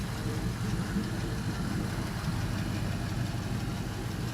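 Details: LM7 5.3L iron-block V8, 862 heads, 151k miles, no rear O2 sensors: warming idle at 153 degrees, MAP 31 kPa, O2 sensors switching, long-term fuel trims very low; even smooth burble, no knocks or misses; normal.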